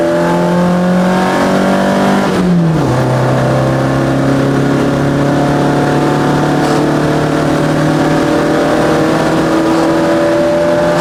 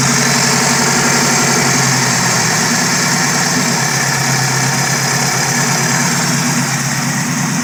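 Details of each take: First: Chevette on Keihin CV motorcycle carbs, test drive at wide open throttle: pulls hard through the gears, then drones flat at high revs; AFR around 9, super rich, main jets overjetted after drilling 135s out to roughly 160. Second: Chevette fitted with Keihin CV motorcycle carbs, after reseating parts to fix vacuum leaks; dead cold start idle, steady with slight wobble, no misses or surging, close to target: normal idle.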